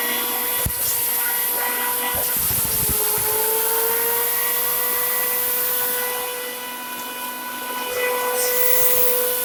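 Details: Farmer IZE-05 grain crusher grinding corn fed in a thin stream, since corn otherwise stalls in the hopper: steady high motor whine that sags briefly as grain enters, then recovers and holds even. Normal grinding.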